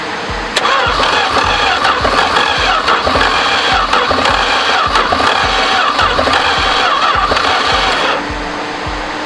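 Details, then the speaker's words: 1973 Duster slant six, unrun 21 years, after new distributor cap and rotor, a loose plug wire reseated, vacuum leaks found: steady cranking about 3.5 pulses per second for eight seconds, nearly catching; cranks but won't start. "i found one spark plug wire was off and i reseeded a bunch of other ones had a couple vacuum leaks oh it almost started"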